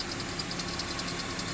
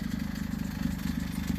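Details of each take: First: Honda CR-V after repairing the exhaust leak at the pipe flange after the catalytic converter with a split flange and 5/16 bolts: a steady, even petrol idle with light valve ticking and no exhaust puffing; the leak is gone. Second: Honda CR-V idling: a quick, even puffing pulse from an exhaust leak after the cat, where the pipe to the muffler has separated at the flange and the three bolts are rotted. A belt or tensioner squeak is also present.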